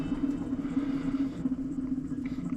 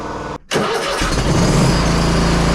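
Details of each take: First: Hustler Raptor zero-turn mower, about 200 hours, deck belt removed: spinning deck spindle by hand gives steady hum with gritty, scratchy rough bearing texture; idler pulley also noisy and due for replacement. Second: Hustler Raptor SD 60-inch mower (model 934612) after deck belt replacement: brief crank, then the engine catches and settles into a steady, even low drone with no knocks or squeals; runs normally.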